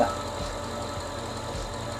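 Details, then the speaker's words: 2006 Mercedes CLS55 V8 with a new Weistec 2.9L supercharger, not yet tuned: even, smooth idle with no ticks after the misfitted aftermarket plate that caused the noise was corrected. "No it should be good now it was just a little plate aftermarket plate that was kind of not seeing right not making a noise [Music] anymore"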